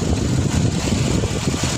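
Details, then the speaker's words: Chevrolet Tahoe after repair of a noise where a lock had come out and a part risked dislodging: low smooth idle rumble with no ticks, squeals or knocks; noise gone. "Wala nang ingay."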